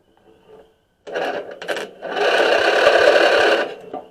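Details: Stanley 46" Murray garden tractor 461008x692A (2003), Briggs & Stratton engine, brake pedal clamped down for the safeties. Short cranking bursts with quick compression pulses, about four a second, never catching. Spark is confirmed at the plug, so the no-start is suspected to be fuel-side.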